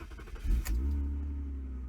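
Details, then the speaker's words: Used BMW E36 engine start while inspecting it for purchase: a quick crank catches at once and settles into a smooth, steady low idle, needle not bouncing, no misfire or rattle; normal engine start. "Make sure that there's no rough idle. So check the needle right here. Make sure it's not bouncing around."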